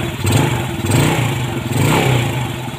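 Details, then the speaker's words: Yamaha Vega ZR motorcycle engine after a service that cured heavy ticking: it idles and blips cleanly, smooth and quiet with no clatter. The carburettor idle and air screws are broken and can't be adjusted. Running healthy. "Nah, kalau menurut saya halus banget ya, halus banget. Enak, suaranya nggak berisik."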